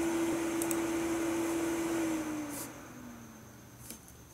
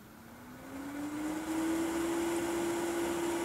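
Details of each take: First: Mid-2011 21.5-inch iMac with a Core i5, whose fan had run stuck at high speed since 2015. After setting Macs Fan Control to a 50° start and 90° max, the loud whir drops to a quiet, normal speed. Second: Mid-2011 21.5-inch iMac, CPU fan with Macs Fan Control reset to auto: fan whirs up, rising in pitch, then holds a loud, steady high-speed whine; fan stuck at full speed.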